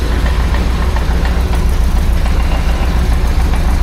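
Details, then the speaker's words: 1976 BMW 2002 (E10) with M10 engine at idle: a deep rumble with a loose knocking about three times a second from the exhaust touching the underbody; the exhaust needs raising slightly, and there is also a small exhaust leak. "That's touching on there, making noise. That's got to go up just a tad."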